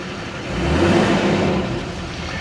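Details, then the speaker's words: Duramax diesel four-wheel-drive pickup with front-end damage and regular exhaust, no check lights: engine revs up and a smooth rising turbo whir comes in with no flutter or screech; turbo spools normally, sounds good. "it's got a regular exhaust on it too you can hear that turbo spool up though sounds good what do you guys think"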